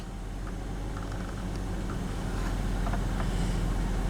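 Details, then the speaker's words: 1995 BMW 525i petrol, after replacing a cracked air intake hose to the airflow sensor and cleaning the air regulator and throttle valve. It starts and idles smoothly with rpm where they should be; the check engine light is still on. "Alright, let's give it a test start. RPMs, right where they should be."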